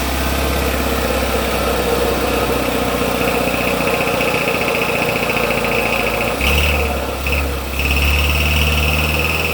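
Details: Kia petrol engine at 110,000 miles and 8 years, cold start: busy metallic rattle over the idle for the first 2-3 minutes, confirmed as a failing turbocharger bearing.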